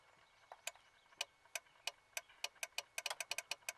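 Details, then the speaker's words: Mitsubishi Montero with a 5.3L LS V8 swap, interior panels removed, newly installed brake switch: about a dozen crisp, sharp relay clicks over four seconds, each matching a brake press, against a quiet background, so the switch works properly. "I had all of this taken out because I needed to put in the brake switch. So if you listen here, you can hear the relay click when I press the brake."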